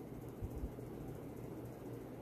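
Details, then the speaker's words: 52" Supreme Fan Mark III (Emperor) ceiling fan, recovered from an abandoned house: steady low hum with soft even whoosh, no knocks or rattles; runs smooth and strong, normal running. "I'm impressed. It is a real powerhouse. It performs just as good as my Fazco parlor fan."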